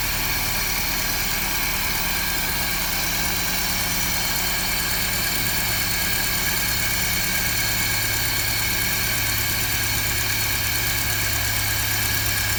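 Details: 1955 Land Rover Series One with rebuilt engine, running after fuel pump work, timing setting and tuning by ear: old four-cylinder ticking over evenly with a steady beat, no misses or knocks; smooth, healthy idle.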